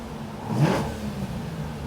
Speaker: >> It sounds so much sharper already.